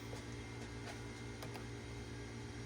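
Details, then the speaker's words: 1991 Tandy CDR-1000 (Mitsumi CRMC-LU005S) CD-ROM drive being resurrected: steady low motor hum with faint seek ticks and clicks as it spins the disc and tries to read; outcome unknown. "it's trying to read from it. It actually has some hope. Yeah, it's spinning up."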